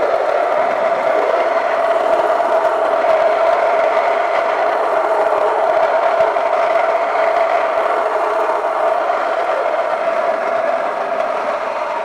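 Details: Kitchen stone grain mill cracking barley on a coarse setting: steady mid-pitched motor hum with a light, gritty crackle of grain, even throughout; the mill is running normally.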